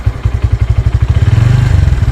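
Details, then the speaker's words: 2024 Bajaj Pulsar N150 single-cylinder engine, stationary vibration test revved from idle to about 2000 rpm: deep, even exhaust thumps quicken smoothly with no knock or rattle. Only very slight vibration; normal revving. "और यहां पर आप vibrations देख सकते हैं water में बिल्कुल हल्के हल्के से वाइब्रेशन है अभी भी हम यहां पर 2000 तक रव करके देखते"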